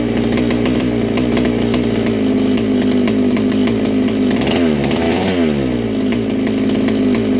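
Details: Original 1961 Fox vintage kart with McCulloch Mac 91 two-stroke, first start in years: steady buzzing, dipping briefly around five seconds then picking back up; runs cleanly, normal running.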